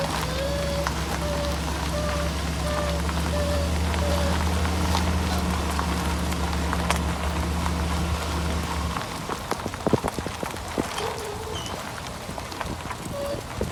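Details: Chevy Silverado while driving: a heavy roar and low droning hum that follows road speed, from a bad wheel bearing; first mistaken for ball joints needing grease, and the power steering pump was replaced first.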